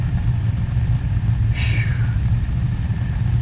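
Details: Gas boiler after cleaning and service, including replacement of a cracked, carbon-monoxide-leaking smoke pipe: deep, steady low roar as the burner lights from the pilot, with no popping, rumble or flutter; the burner runs normally.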